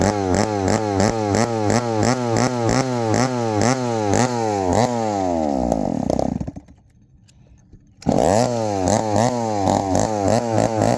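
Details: 1972 Remington chainsaw with a broken manual oiler; a lumpy, pulsing idle sags and dies for a couple of seconds, then restarts and stumbles on. It keeps cutting off, and the owner suspects the mixture or idle screw needs adjusting.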